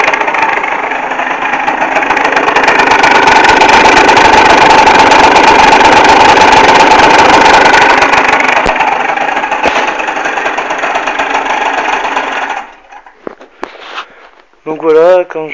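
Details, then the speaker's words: Neo's 70 two-stroke scooter: buzzes and revs with faint thin whine on top, from kick start, continuing a second or two after switch-off; louder on exhaust side than kick side; cause unidentified. "enfin quand j'éteins le scooter, le bruit continue un peu genre une seconde voire deux. Donc voilà. Donc je trouve moi qu'on l'entend plus côté pot que côté boîte à kick."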